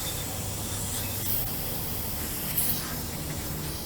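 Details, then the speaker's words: LP regulator on a motorhome only a few months old: a two-stage regulator with a catastrophic failure. Steady, even hiss of propane escaping through the regulator, with no rhythm. "okay y'all can probably hear that uh it's leaking out this regulator right"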